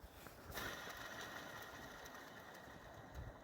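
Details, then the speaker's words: BMW 325i, old auxiliary belt idler pulley spun by hand during belt kit replacement: rough, faint whirring tone fading as it slows, worn bearing; tensioner pulley also worn, both replaced. "I just want to show you the condition of the old pulleys. Hear carefully, listen carefully. Can you hear that? That's the tensioner pulley, and then the idler."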